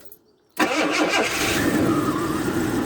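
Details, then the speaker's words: Engine with intermittent starting problem, morning start: silence, then it catches and settles straight into a steady idle; owner suspects a stuck fuel valve or regulator causing no-fuel cranking when it fails. "But as it turns out, I don't need it. The devil's gone and started."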